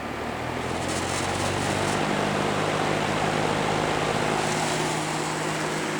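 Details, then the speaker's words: Toastmaster model 5359 vintage metal-blade fan on high: loud steady blade whoosh with loose buzzing rattle as the grille vibrates from a missing screw; no rattle on lower speeds. "we'll start up on high being it's metal blade so it's pretty loud we'll move it a little bit don't want to draft the cats start up on high grillon Z rattle there's a missing screw"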